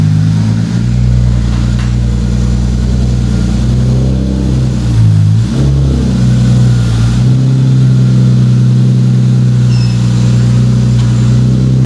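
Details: 2JZ-GTE twin-turbo swapped MKIII Supra after reassembly, five-dollar failed part fixed and turbo blankets added: strong steady low drone with a few rev swells, smooth and even, no knocks or misses; running healthy.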